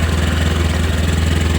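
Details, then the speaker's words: Honda Scoopy scooter that would not electric-start, reportedly rarely warmed up and long unused. After turning it over with a drill it started on the starter and idles with a steady, even single-cylinder thump, no knocks; everything normal. "Kita starter. Eh, hidup, Teman-teman. Normal semua."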